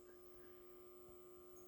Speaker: can hear the buzzing coming from that choke so I have to deal with that and a couple of issues in the AC metering